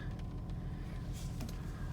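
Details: 2004 Honda Pilot after replacing the Bank 1 Sensor 1 oxygen sensor (code P0132) for misfires and rough idle, codes cleared: steady even low idle, no stumbles, skips or hunting; normal idle.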